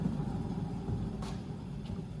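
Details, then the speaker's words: 2006-2012 Ford Fusion 2WD, rear raised, front wheels chocked, in park: raised rear wheel spun by hand gives a low grainy rumble instead of silky smooth quiet; badly worn rear wheel bearing, causing cabin noise and humming at speed, louder under load. "When you spin the wheel, it should be perfectly smooth sounding and quiet. No graininess to it, no rolling bearing noise. It's perfectly silky smooth. This obviously is very, very bad. That's why it's so noisy inside the cabin."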